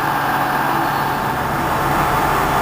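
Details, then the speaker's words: 1989 SHARP 24" x 120" geared-head engine lathe, headstock running at low spindle speed: steady, even mechanical hum with a smooth gear whir, no knocks or grinding; headstock quiet and runs well. "The headstock is quiet, runs well."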